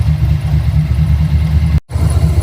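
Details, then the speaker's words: Carbureted V8 after swapping QFT carb for Edelbrock 1405 with manual choke, 14 degrees timing: steady smooth idle at about 1,000 rpm, no exhaust backfiring or stumbles, idled an hour rock solid; normal idle. "Finally, after a lot of tinkering and a lot of adjusting, we have a nice solid 1,000 RPM idle. No backfiring through the exhaust. No weirdness. All smoothness."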